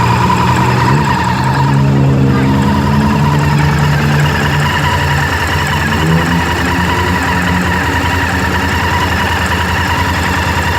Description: Honda Varadero 1000 is making this ticking noise at idle. Also on deceleration the ticking sound follows the rpm of the engine.